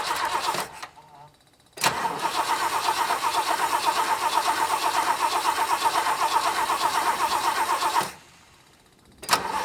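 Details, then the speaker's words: 1966 Lincoln Continental first start after a decade in storage, seized part had bent a pushrod, rotten fuel lines, temporary electric fuel pump fitted; fuel seen in carb. Starter cranks, engine catches and settles into an even, quick beat with no knocks; normal start. "i see fuel in the carb that's a good sign hopefully it's not flooded"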